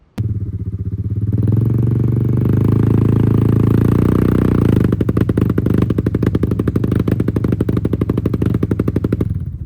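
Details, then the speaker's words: Honda Fourtrax 300: revs up and holds, then drops to a slow loping beat of separate pulses before cutting out; runs fine for a few minutes cold, then dies and loses power once warm, despite checks of coil, stator, regulator and starter. "So, it's had an issue doing that where if you first crank it up and ride it, it'll run fine for a few minutes and when you warm it up, it just starts dying, cutting off, running like running like crap, no power."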